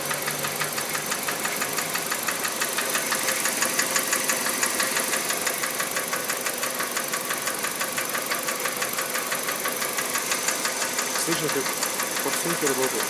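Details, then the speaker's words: Kia Rio JB, G4EE 1.4 97 hp, automatic, Mobil 3000 oil: steady light ticking about twice a second over smooth idle; owner suspects hydraulic lifters, not injectors, cause unconfirmed. "Не форсунки, это, извиняюсь, гидроконденсатор или что там. Вот этот звук, короче, напрягает."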